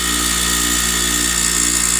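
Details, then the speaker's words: Grinder with a newly fitted wire wheel, just switched on: steady high whine with fine hissy scratching as loose wire bristles hit the guard. "of those little wire things are hitting right here down maybe I can flip off those wires"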